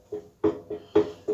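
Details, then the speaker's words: Arçelik washing machine, drum turned by hand: separate clunks with a short squeaky ring about three a second, indicating a faulty tub with worn bearings needing tub replacement. "kazanın tam burnup çevirdikten sonra ve bunun gibi bir türlü bir Siz veya takur tukur ses geliyorsa bu Kazan arızalıdır"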